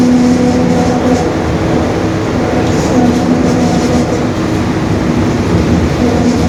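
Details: 2021 Marcopolo Torino S stretched bus on a Mercedes-Benz OF-1721 BlueTec 5 chassis, cruising; steady diesel drone and road rumble with a faint low-mid gear hum that keeps returning. The rear differential is growling.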